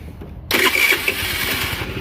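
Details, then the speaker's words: Scooter with new carburetor and over-a-year-old fuel: quiet, then engine catches and runs ragged and uneven, dying when throttle is cracked; owner suspects valves need adjustment and old fuel. "whenever you try to crack the throttle and it instantly dies on a new car that's most likely valve issues going on and like I said probably old fuel"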